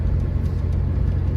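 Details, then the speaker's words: 1991 Chevrolet S10 Blazer 4.3 V6, about 322,000 miles, long abandoned and possibly flooded earlier: a steady, even rumble while driving with no misses, knocks or ticks. Timing is fine and it is running normally. "And it sounds good. Sounds like timing is fine and it's firing when it's supposed to, so... hopefully it's alright."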